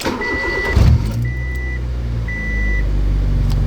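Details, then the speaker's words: Honda EK Civic, naturally aspirated before its turbo kit install, dash warning lights on: smooth steady idle that picks up cleanly on a light rev, with chime beeps over it; normal idle and rev. "we'll quickly start the car up just so we can hear what it sounds like before the turbo and then after if I can there we"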